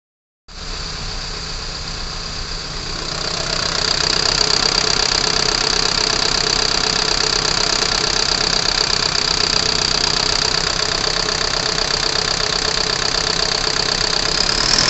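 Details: Torino diesel truck with an overheating problem, idling: a steady shake about four pulses a second; a failing fan clutch causing engine vibration is suspected, not confirmed.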